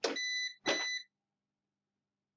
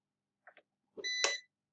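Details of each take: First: PowerShield line-interactive UPS after AC input is unplugged from the wall: two short shrill beeps, a pause, then another beep, while it shows AC failure and runs the load from battery through the inverter; on-battery alarm. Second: PowerShield line-interactive UPS, on AC input power being reconnected after running on battery through the inverter: two soft relay clicks, then a short beep. The UPS is returning to line mode on about 240 V mains, as normal.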